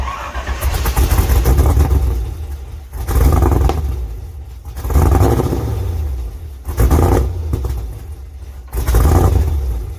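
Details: LS2 V8 in a third-gen Camaro pro-touring car after an oil change and cold start: repeated throttle blips rise and fall cleanly with no tapping or knock; earlier knocking gone; normal running.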